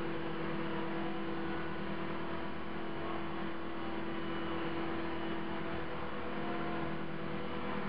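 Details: CopterX RC helicopter after a crash, blades not tracking: steady mid-pitched buzz with droning hum at constant rotor speed; owner suspects bent blades, possibly blade holder or feathering shaft, unconfirmed.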